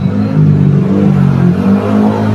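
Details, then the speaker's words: Air conditioner with both compressor and fan motor humming: heavy low drone with no airflow rush behind it. The old run capacitor tested bad and a new one tested good, so the failed run capacitor is being replaced. "umuugong yung compressor saka yung motor"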